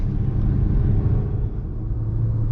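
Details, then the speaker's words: Manual car held in second gear at over 50 km/h: a loud, strained engine drone at high revs that keeps rising, over-revving in too low a gear; the car needs third gear. "मैं दूसरे gear में हूँ। गाड़ी 50 से अधिक की रफ्तार से चल रही है। आपको इसका एहसास नहीं हो रहा है। यहां इंजन की आवाज बढ़ती जा रही है।"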